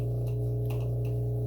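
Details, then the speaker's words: GE washer, just plugged in: steady low electrical buzz that won't stop whatever button is pressed or if lid opens; drain pump buzzing and not shutting off, reset via diagnostic mode, pump later replaced. "if you have a GE washer that'll keep buzzing no matter what you push and you can't get it to exit then this fix may be for you"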